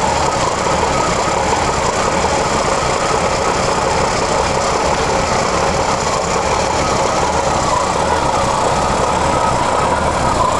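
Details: 1985 Jeep CJ7, 5-speed, Weber carburetor with choke not working properly, cold start at 42°F, fresh fuel, mic close to carb; uneven stumbling idle with occasional misses, rough cold idle with misfire.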